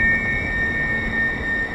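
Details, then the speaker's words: Wind tunnel test of architectural balustrade screening: steady piercing high whistle over a low rush of air, tone changing as it moves, no vibration; aerodynamic whistle of air through the screen like a musical instrument. "to be a erodynamic effect of the air through here a bit like a musical instrument that's creating that noise"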